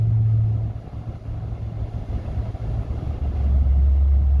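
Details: 2019 Ram truck, one year old and bought new, cruising: deep steady droning hum under road noise, pulsing slightly; low-frequency cabin drone present since new, dealer could not replicate or fix it, cause unknown.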